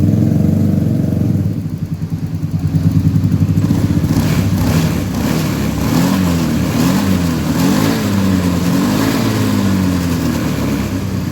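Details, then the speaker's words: Honda Beat eSP scooter that suddenly stalled and was hard to start, running after an ECU socket wiring fix; steady single-cylinder putter picking up smoothly on light throttle blips, no misses or knocks. Normal running after repair. "Được rồi, động cơ đang chạy. Được rồi, nó hoạt động rồi, và đó là cách tôi đã sửa nó."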